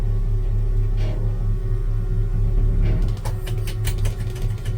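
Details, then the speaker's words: 1966 Chevy C10 pickup moving gently out of the yard, steady low engine rumble with loose irregular metallic rattling that worsens as the truck starts moving; the unfastened hood chattering against the body. "And that's that hood if you hear something rattling. I don't have the hood fastened."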